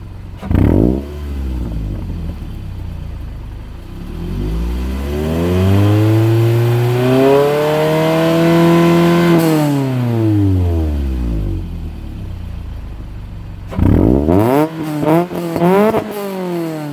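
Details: 2007 Scion tC four-cylinder with Tsudo 4-2-1 header (primary cat removed), Injen short-ram intake, stock mid-pipe, Tanabe Medallion Touring exhaust: slow rev 1,000–5,000 rpm then quick high revs, slight rasp partly from a leak at the mid-pipe to S-pipe joint.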